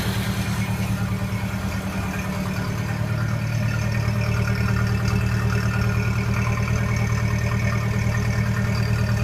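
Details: Early 1928 Ford Model A Tudor sedan at idle, not fully warm, on the existing reproduction muffler before replacement with an Aries system: deep, even low putter with a raspy, breathy edge, a slight leak at the muffler clamp.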